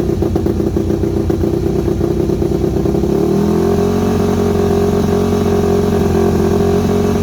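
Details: Yamaha WR250 single-cylinder with good compression, just revived after sitting: revs unevenly, then drops into a higher hunting idle that never steadies; carb needs rebuilding, owner unsure idle jet is fully unblocked, irregular idle.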